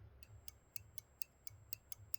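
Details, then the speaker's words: Pinball VUK (vertical up-kicker) micro switch with playfield disabled so the coil doesn't fire, actuator pressed by hand: nine crisp, sharp clicks at three or four per second; switch actuating and closing cleanly. "you can hear that switch clicking. And what you want to do is you want to hear that click."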